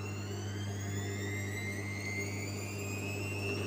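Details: Gorenje washing machine drum spinning at 400 rpm: steady low drone with a whine climbing as the drum spins up, plus a rough rumble underneath from worn drum bearings.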